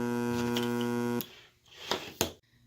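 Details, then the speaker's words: PC speaker system switched on with speakers disconnected: steady low electrical buzz with a strong edge coming from the subwoofer unit, then cuts out; mains hum. "so you hear that buzzing and this is even though the speakers aren't even connected so this buzzing sound is coming from the woofer subwoofer unit of the speaker system"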